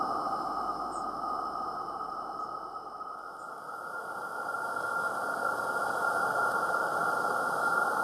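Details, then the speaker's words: Accucraft "Caradoc" 0-4-0T live steam garden locomotive with its gas burner lit and door closed: a steady, calm even roar with a faint high whistle, no sputtering or popping, building pressure; normal burner. "so if I just close the door there just let the engine just sit there and let it till it gets nice calm roar on the go and basically just leave it to build up pressure"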